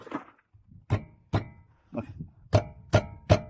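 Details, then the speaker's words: 2015 Mazda 3 1.5 on rough, uneven roads: uneven sharp metallic clunks from a brake caliper rubbing on worn guide pins with play; all the guide pins were then replaced. "Voilà le bruit métallique que vous entendez. C'est l'étrier qui frotte contre l'axe. Ce problème est dû à un jeu dans l'axe."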